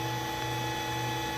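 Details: Allen Bradley MPL-B330P-MK74AA servo motor test run after repair, driven by an Allen Bradley drive. A steady, even electrical hum with a fixed high whine and no knocks or grinding: it runs smooth.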